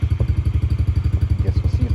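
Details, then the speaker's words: Yamaha TT-R50E kids' bike (small air-cooled single, electric start), after carburetor cleaning and reinstallation; it had barely started and wouldn't idle before. With the battery fully charged it gives an even, low putter of about 12 beats a second with no misses: normal idle. "battery's fully charged sounds like it runs pretty good"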